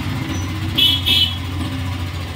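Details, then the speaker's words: Hero Maestro BS6 scooter with a starting problem, after fitting a new genuine regulator, fuel pump now working: engine settles into a steady, even low putter after starting, with two brief high horn toots; normal idle. "স্কুলিটা এখন start হয়ে গেছে"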